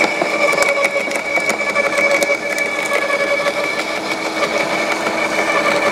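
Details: LawnMaster 2800W quiet electric garden shredder, blade-to-plate gap set: steady high whirr with light crackle as thin branches self-feed without the plunger, no bogging; cut up really nicely, normal shredding.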